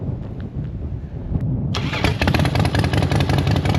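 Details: Home-built Harley V-twin, 88 bored to 100 inch with 4-inch big bore kit, 585 cams and springs, loud pipes: starter catches and it barks into a loud, lumpy idle with even pulses; runs healthy.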